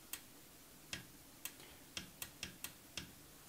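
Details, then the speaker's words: TRS-80 CGP-115 pen plotter (ALPS mechanism) powered from 5 V lines after repair: head now moves fine with crisp uneven ticks about two a second, but no pen-lift clack; pen solenoid not working. "so this head is now moving fine however the solenoid is not working"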